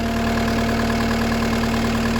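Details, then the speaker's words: Cat skid loader diesel after injector replacement and injector trim codes loaded, 64% soot load: steady even idle, constant low drone, no knocks, misses or surging; running nice and smooth. "Not sure if you can hear a difference or not, but it does sound like it's running really nice and smooth."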